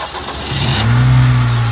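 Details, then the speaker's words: Acura RSX starting right after its starter was replaced. A brief crank, then the engine catches cleanly and settles into a steady, even low hum; the starter and start-up sound normal. "now that's the sound that we like car is all started up"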